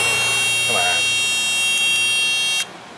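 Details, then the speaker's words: 1999 Chevrolet Tahoe with rear power door locks not working, power probe on the rear door contact pad: harsh, high, steady buzz as the probe's breaker (thought to be about 15 A) trips repeatedly, showing the pad carries current. "Yep, I can blow the breaker. Listen to that noisy thing for a minute. So that means our contact pad is good and can carry current"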